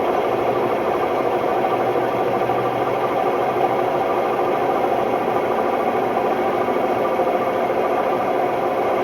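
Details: Hotpoint Ultima WMD960 washing machine, recently acquired, makes an extremely noisy, loud steady rumbling roar during a test spin, from worn drum bearings.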